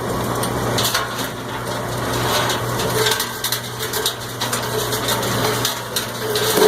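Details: Cumberland 7.5 hp granulator, 12x12 chamber, grinding about 10 lb of stranded copper wire with insulation, tape and connectors: louder crunching and chopping, motor surging as the load rolls around; normal running under load.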